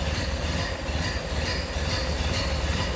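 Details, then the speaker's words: 1931 Ford Model A Roadster, four-cylinder, heard with hood open: steady, even low rumble with no knocks, ticks or misses; smooth healthy idle. "Nice little smooth running 4-cylinder."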